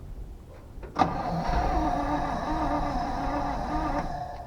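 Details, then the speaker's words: 1970 Chevy C20 dump truck, eight-cylinder, points ignition, revived after sitting: three seconds of sluggish, dragging cranking with a lazy, uneven beat and no firing; battery running low, charger needed. "we gotta get the go get some charge around the thing I hear the battery getting low let's get the charger on it"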